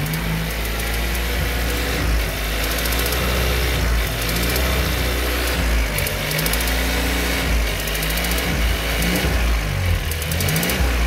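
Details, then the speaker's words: VW Golf TSI petrol engine idling with a light, regular tick that sounds like a valve; the cause is a loose spark plug that was replaced six months and under 3,000 km earlier. "boa noite pessoal pegava um defeito aqui ó um golf ps defende bem chata e apresenta o barulho no motor"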